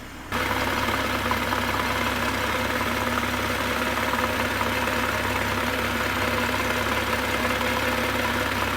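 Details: Wrecked 2023 BMW M240i with its B58 engine at only 4,000 miles, warm idle: a dull, uneven knock from low in the engine, still present after the bearings were replaced. A screwdriver is held on the oil pan near cylinders 4-5; lower engine knock.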